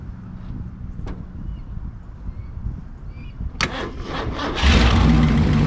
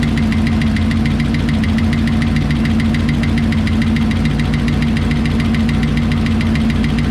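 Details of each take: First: 1968 Lincoln Continental 462 V8 idling after an oil and filter change to Rotella diesel oil to cure a valve tick; it fires, catches and settles into a smooth, even idle with no lifter tick, much quieter, before warm-up. Normal idle. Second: 1968 Lincoln Continental 462 V8 at idle after oil change to Rotella diesel oil: quick, even light top-end ticking over steady low idle, following engine speed; valve tick, cause unconfirmed, may need valve cover removal.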